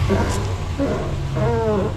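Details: 2014 Ram 1500 Sport quad cab, 180k miles, known exhaust manifold leak; warm engine revved in park picks up cleanly to a smooth even roar, no knocks, ticks or misses; oil pressure stays high at idle when hot.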